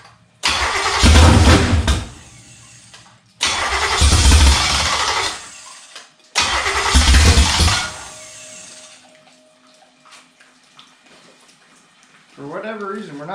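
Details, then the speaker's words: 1954 Henry J gasser with a 327 V8 on an engine stand, timing uncertain: three cranking bursts of a couple of seconds each that never catch. It is not picking up fuel; a bad fuel pump is determined. "not picking up fuel I'm thinking maybe my fuel pump might not be any good okay guys what I've determined is my fuel pump is no good"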